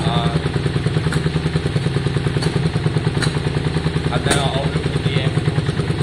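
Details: 2002 Yamaha Virago V-twin after carburettor and tank cleaning, on slight choke: lumpy idle around 200 beats a minute broken by a sharp pop from the exhaust about every second. Intermittent spit; suspected plug leads swapped, changing firing order.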